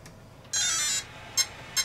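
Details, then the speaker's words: Dual-motor RC build, two ESCs on a Y connection: powered on holding full throttle, the ESC gives a long high tone then two short high beeps about 0.4 s apart, entering throttle calibration; then set to neutral, ready. "Should beep, do its chimes. And we'll go to neutral. There you go. It's ready to go."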